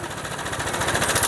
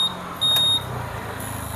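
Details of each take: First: Honda PCX scooter with sudden rough noise: quick steady metallic chatter over idle that smooths when the tensioner is pressed by hand; cam chain tensioner rattle from the tensioner setting. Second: Honda PCX scooter that had suddenly started sounding rough, heard after the timing chain tensioner lifter was cleaned and oiled. It catches and settles into a steady, even idle with a smooth exhaust beat and no timing chain rattle. Idle is now smooth.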